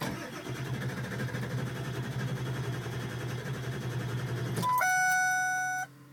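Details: Truck that won't start, Monday morning, third attempt: starter churns with an even rhythmic grind for several seconds and the engine never catches, then a steady tone; cranks without starting.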